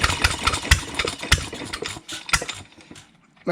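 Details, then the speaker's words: Rebuilt 100-year-old Stover Duro 1/2 HP upright air-cooled hit-and-miss engine, first run in about 50 years: irregular sharp firing pops with quiet coasting gaps; runs on its own but still rough, untuned and spraying oil. "that's his first run over the 50 years I've still gotta set it in it's still got a lot more a lot more work to do"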